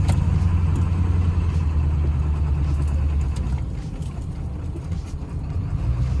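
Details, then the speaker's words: Ford F-250 7.3L Powerstroke diesel with an uneven, lumpy, surging idle after backing up a hill. Owner hopes it was fuel starvation from a possibly low front tank. The truck also showed a slight miss at speed, oil and coolant mixing and low oil; rough idle, cause unknown. "Still has a little bit funky idle. I don't love that. Yeah, definitely not happy at idle. Interesting."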